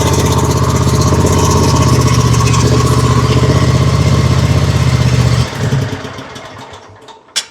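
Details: Kawasaki-engined Exmark zero-turn mower that cranked but wouldn't fire, after fixing a fuel delivery fault, run with choke: steady even thump about four a second, then switched off and coasting down; runs healthy.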